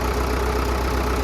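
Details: 1937 Caterpillar RD4 crawler tractor/dozer, started after sitting for many years; low steady even rumble, no missing or knocking; normal idle.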